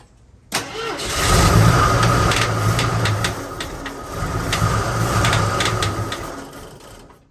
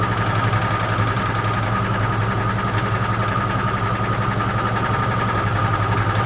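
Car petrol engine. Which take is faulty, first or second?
first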